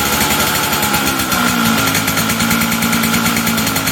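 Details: Two-stroke engine after air-leak pressure test and repair: rapid crackly buzz with steady high-pitched ring, running evenly without stumbling or misfires; running fine, though owner guesses ignition timing may be way advanced.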